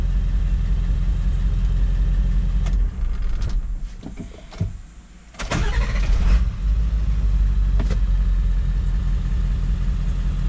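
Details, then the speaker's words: 7.3 Powerstroke diesel, hot restart after about 10 miles and fully up to temperature, following an injection pressure regulator valve replacement for a hot no-start: cranks briefly, fires right up and settles to a steady, even idle clatter; normal. "let's see if it'll start back [Music] very good that's what we like to see as far as that goes"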